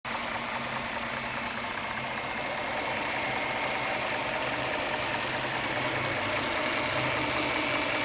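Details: 2009 Dodge Charger 3.5L V6 petrol idling with light steady ticking, two or three ticks a second, noticed over about 6000 km; occasional pinging and an air device running, with a 10 s whine after shutoff.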